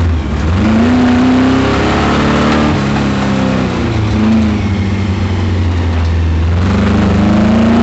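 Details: Chevrolet Camaro at an autocross under hard acceleration: V8 pulling through the revs with a rough, uneven knock under the exhaust note, first mistaken for a misfire. Spun rod bearing.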